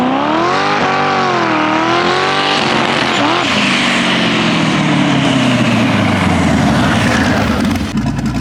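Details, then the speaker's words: eBay twin-turbo LS 5.3 at 10 psi; pulls cleanly, then the note goes ragged near the top end, with ignition breakup at high rpm and boost. Owner suspects spark plugs gapped too wide blowing out the spark. "That should help the break up in the higher RPM, higher boost levels, because that's kind of what it sounds like right now. It kind of sounds like a rev limiter when the spark plugs aren't gapped correctly."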